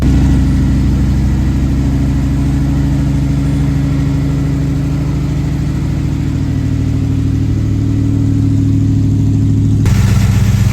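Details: 1970 Dodge Challenger big V8 idling after the misfire was diagnosed and the carburetor adjusted: a deep, steady lope with no skipping or stumbling beats.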